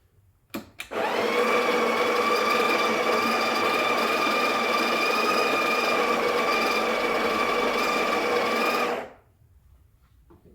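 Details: Breville Barista Express BES870 built-in grinder dosing a single shot at the two o'clock grind-amount setting: a steady high whirring grind for about eight seconds at constant pitch, with no catching or labouring; grinder running healthy.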